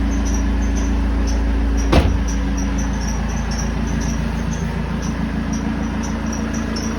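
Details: BMW 320d E90 with M47 diesel at idle: quick, regular high-pitched chirp and squeal from the serpentine belt slipping on its pulleys; tensioner suspected first, but it turned out to be a simpler fix.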